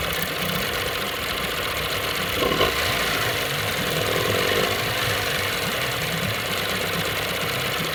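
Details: Johnson 9.9 outboard running at low speed: uneven, rattly tapping about three to four per second over a harsh buzz; something abnormal, cause unknown.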